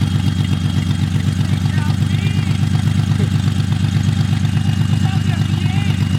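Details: Built Nissan VQ35DE in a Z at first start-up, finally settled at idle with no coolant yet so run only briefly: even, regular pulsing about three per second, no misses, knocks or rattles; normal idle.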